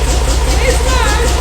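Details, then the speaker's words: 1975 Bedford truck's 50-year-old petrol engine, fully off choke after it had been left partly on: steady, even low thrum with no stumble or knock; idling smoothly and healthy. "now that's much better it sounds so smooth it"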